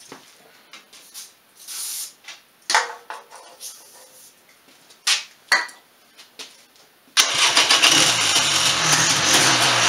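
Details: 1996 Polaris Sportsman 400 two-stroke ATV after a top-end cylinder rebuild and coolant bleeding, following earlier overheating, started on jumper cables: several hesitant cranking bursts, then fires and holds a steady, busy idle without stumbling; normal start and idle.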